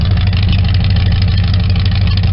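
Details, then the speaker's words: 1972 Chevy small-block V8 with dual mufflers, idling around 550 rpm after cold start: deep, steady, mellow rumble with even firing beat and no ticking or knocking; healthy. "the difference more rats here this has more of a mellow Rumble"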